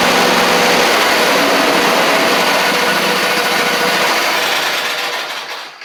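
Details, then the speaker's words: John Deere LA130 Briggs V-twin: steady buzzing run at about three beats a second fades and dies after five seconds when blades are engaged; spark killed by a blade safety switch plug fault. "all right so we've got a we got a spark issue with some sort of switch or something"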